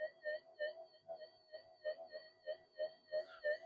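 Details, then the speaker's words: Minelab SD2100 LC oscillator, coil skewed off centre, volume turned up: mid-pitched tone pulsing about three times a second with 50 Hz interference, wavering in pitch as hand or air passes over; oscillator drifting. "It's a bit skewed off, but you can hear the way these drift, because it's an LC oscillator."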